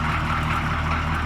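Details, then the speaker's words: CUCV M1008 diesel idling after a first drive on its own tank, with fuel line leaks patched: a steady, deep, unbroken diesel rumble with no knocks or misses. It idles acceptably, though the owner says it could be cleaned up. "but uh yeah so far so good listen to it you know right not terrible not terrible I could clean that up somewhere"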